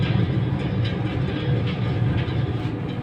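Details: AHU blower, drive-end bearing: loud, rough mechanical rumble with an uneven clattering beat over the fan roar, identified as an abnormal drive-end bearing sound.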